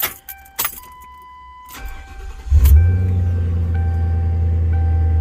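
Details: 2006 Lincoln Town Car after replacing an ignition coil with a mid-grade Blue Streak coil: brief crank, catches at once and settles into a smooth, even idle with no stumble; normal start and idle.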